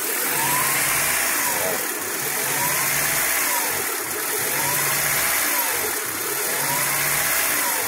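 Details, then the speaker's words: 2000 Honda Prelude SH, H22 engine, off throttle at idle. Idle rises and falls about every two seconds, worse once warm, no misfire when rpm is held. Surging idle of six months, later fixed. "but if I let it sit down at idle this is me off the pedal it just does this at an idle until it starts warming up and then when it warms up it goes crazy"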